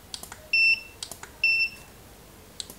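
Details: Godox SK400 II studio flash after repair of Error E3 and weak power, test firing from low power upward: two short high beeps about a second apart among light clicks; recycles and signals ready normally.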